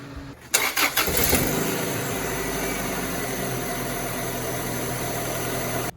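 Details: 2002 Honda Accord first start after replacing leaking distributor gasket and brittle ring seal: quick crank, catches at once, settles into smooth even idle with no misses or knocks; healthy start and idle.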